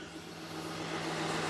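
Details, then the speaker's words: 2019 Ford F53 with 6.8 V10 gasoline after repair of P0304 cylinder 4 misfire and noise, right-side shaft replaced: quiet, even idle with no stumble or noise, no codes; now running evenly on all cylinders. "verdad se una belleza el motor está [Música] parejito solo le enseño la llave y prende ahí está el que ya no se escucha ruido"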